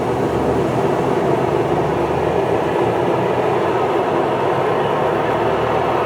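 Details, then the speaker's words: Huebsch coin-operated washer on spin after a burnt belt was replaced, giving a new loud, constant rushing roar with no clear rhythm. Owner asks whether it is a bearing; cause unconfirmed. "that's just crazy so if anybody can kind of helped me out is that a bearing issue"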